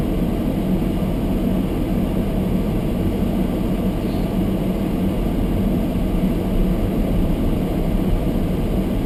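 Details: Almost-new Toyota Prius hybrid in below-freezing weather, windows fogged: demister fan run high on windscreen, steady loud rushing air with constant low hum; loudness exaggerated by close camera; normal blower.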